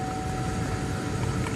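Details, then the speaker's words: 2005 Chevy Tahoe, 173,000 miles, automatic climate control with blower motor controller; key on, a steady, loud fan roar that never changes pitch whatever the fan setting, while the mode and blend doors work. Blower stuck on high speed. "does not change whatsoever. Okay? Now everything else works."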